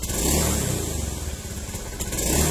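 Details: Honda Beat ESP injection scooter, 2016–2017, before repair: the note surges and dips unevenly as the throttle opens from low revs, with throttle and RPM unbalanced. It is normal at mid to high revs. Causes given include dirty air settings, rusty fuse holders and the ECU.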